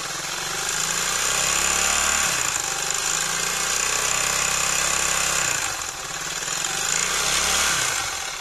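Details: Suzuki DF200E/DF200EV outboard before repair: harsh, clattering run with revs surging and sagging every few seconds; rough running and abnormal noise, cause not yet found.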